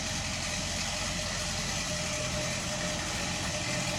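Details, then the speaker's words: Del Rey CHT at a steady idle with a busy metallic chatter over it, audible from a distance; timing chain rattle, apparently resolved later. "Ó lá, de longe você ouvia barulho, o barulho da corrente de comando."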